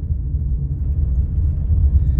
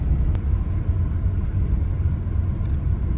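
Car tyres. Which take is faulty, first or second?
first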